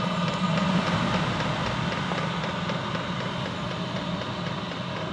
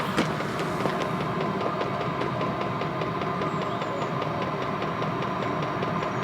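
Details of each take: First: Chinese diesel heater after an E03 error and glow plug replacement, unused for a few days: continuous rough low grumble with an uneven rattling pulse under steady fan rush and heavy smoke; a new noise, cause unclear. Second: Chinese diesel van heater after glow plug replacement fixing E03 error: steady combustion roar with even rapid fuel pump ticking; smoke cleared, burning cleanly and heating.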